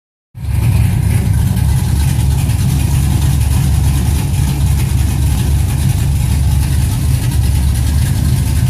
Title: 06 TBSS Engine Knock